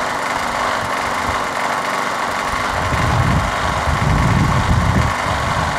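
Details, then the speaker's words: Craftsman push mower, swapped engine, remounted, oily spark plug replaced with a better used one. Runs rough at start with uneven stumbling put-put and irregular pops while cold, smoothing after about 30 seconds of running. "sputters a little bit in the beginning but once you run it for about 30 seconds such running better"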